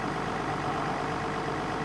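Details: Doosan 14-ton diesel excavator that had sat parked a while, started with a boost pack: an even, steady diesel clatter at idle with no misfire or knock. It is running sweetly, a normal idle.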